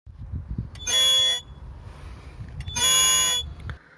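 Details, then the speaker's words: Car pulling away slowly from parking gives two loud, shrill, warbling squeals that go quiet at 40 km/h and above and return on a gravel road at low speed; the cause was a stone caught in the wheel's brake. "Этот скрип начался ни с того ни с сего, просто отъезжаю с парковки и раздается это. Когда ехал домой, звук нереально громкий, вся улица слышала."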